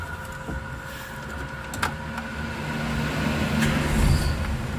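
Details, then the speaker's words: 1990 Toyota Starlet XL (EP70), about 30 years old: engine starts on the first try and settles into a low, steady idle with no misses or knocks; normal start and idle. "Mesinnya juga sekali tek jreng."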